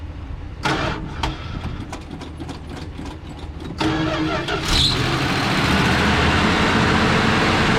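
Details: 1970 Dodge D-100 Sweptline barn find, first start in about 19–20 years: several slow cranking bursts, then it catches and runs rough but steady.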